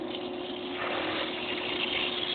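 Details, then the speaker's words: Pool pump restarted after changing the pool filter makes a steady gurgling hiss over a constant hum as trapped air passes through; after the air clears it sounds like it is running okay. "looks like there was a little bit of air in the pump that's what that noise was sounds like it's doing okay now"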